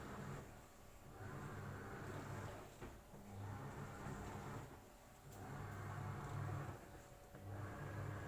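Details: AQUA single-tub washing machine in the wash process after filling. Low motor rumble swelling and fading about every two seconds as the drum agitates back and forth, quiet and even; normal wash with 39 minutes remaining.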